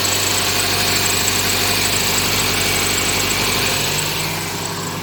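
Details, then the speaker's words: Inspira 2.0 / Lancer GT at idle after a morning start, before repair: steady low drone and buzzy vibration from the engine bay, most likely from a broken engine mount. "So what happens is that whenever it started, when the car is started in the morning, it gives off this weird vibration, this sound. All right. So what I found out is that it's most likely the engine mounting that's broken."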